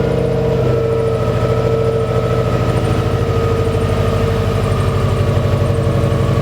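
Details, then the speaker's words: 2000 Subaru Impreza 2.5 swapped with a JDM EJ205 engine at idle; engine note drifts between about 900 and 1300 rpm instead of settling, a hunting idle. "she's idling a bit Hodge she like this in know where to idle to she wants to go higher or lower she's like I don't know if I should be at 1300 I don't know if I should be at 900"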